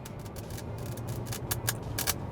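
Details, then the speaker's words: 2020 Honda Pilot infotainment system: irregular crackling pops and hiss bursts over a faint low hum through the speakers; speaker static fault. "It kicks off with some static in the speakers, and the worst part is not just how atrocious it sounds, but the fact that most of the time you can't even turn it down."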